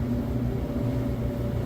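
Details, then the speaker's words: Samsung DV331AEW/XAA electric dryer after disassembly, deep cleaning and reassembly, running on high heat timed mode: steady low hum and even drum rumble, no grinding, scraping or rumbling; runs smoothly. "all right so that sounds wonderful no weird grinding noises no rumbling"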